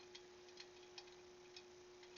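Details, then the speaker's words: Motorcycle wheel freshly relaced, spun on an old wheel balancer used as a truing stand for a rough set: a faint, irregular light ticking over a quiet steady tone from a few still-loose spoke nipples. "You can even hear the spokes some of the nipples are still a little loose, but we're not too far off actually for the rough set here."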